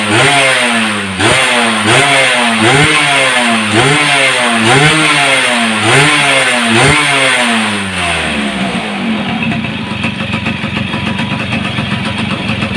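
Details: Yamaha F1ZR two-stroke fitted with a CDI Grand/Supra with modified wiring: crisp blips about four a second, then settling to an even idle, no stumble; former kickstart kickback gone, runs healthy.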